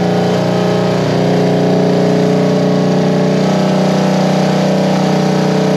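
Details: 1973 Honda CB350G twin on newly fitted Mikuni VM28 carbs, first run: even twin beat about four pulses a second, low steady note with slight blip; runs well, wants minor carb tweaking, fuel was slow to arrive.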